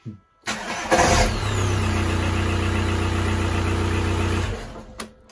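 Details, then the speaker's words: Diesel starting with a new, cheap internet-bought starter: a short, rough crank with a scrape as the starter engages, then a steady idle. The owner feels the starter catches slightly and blames the poor-quality brand; not confirmed. "Alors. Il accroche un peu là, j'ai l'impression."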